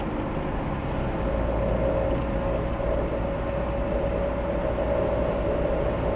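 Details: 2001 Dodge Caravan 2.4L with rebuilt 31TH transmission: steady mid-pitched grinding drone over road rumble, only under acceleration around 50 mph and not always; owner doubts it is the transmission.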